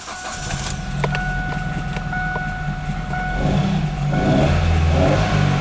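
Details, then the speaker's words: 2007 Kia Spectra manual, 166,000 miles, crank no-start fixed by plugging in the unplugged PCM connector: engine catches but settles into an uneven, lumpy, shaking beat, running rough. "unbelievable now it's shaking doesn't really run that well but hey it that actually freaking runs"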